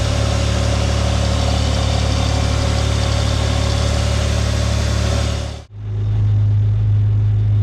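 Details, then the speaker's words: Vauxhall Omega estate 2.5 V6 after a new timing belt and water pump, coolant topped up: smooth, steady idle with an even low beat and no rattles or ticking, running nicely. "well that's running nicely"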